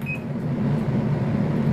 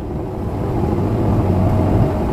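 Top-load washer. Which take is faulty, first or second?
first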